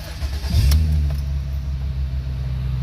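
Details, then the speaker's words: 2006 Ford 500 started right after an oil change: engine catches within a second, flares briefly, then settles to a steady, even low idle; low oil pressure light stays on briefly until oil circulates; normal startup. "some cars make noise some cars don't there it is and the low oil pressure light of course will stay on for a bit until the oil gets through"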